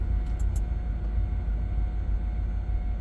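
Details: Audi S4 Cabrio (B6/B7) 4.2L V8, fuel pump cover removed before replacement; thin, steady constant-pitch whine above a low rumble, clearly heard from the in-tank fuel pump; failing pump whine.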